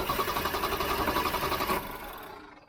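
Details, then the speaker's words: Engine cranked on its fully charged, float-charged battery, for comparison with an Avapow 4000A jump starter: quick, even cranking beat of about seven or eight pulses a second for nearly two seconds; strong healthy crank, though the jumper seemed faster. "let me show you about how about how fast it cranks with the real fully charged battery"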